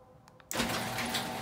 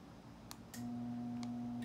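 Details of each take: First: Genie Pro garage door opener after re-engaging the carriage pin that had left it only humming: click, then steady motor hum and chain rattle as the door closes fully; normal run after fix. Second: Genie Pro garage door opener, door stuck open, won't close: two brief steady low hums with relay clicks as the motor buzzes but won't turn, caused by a failed start capacitor.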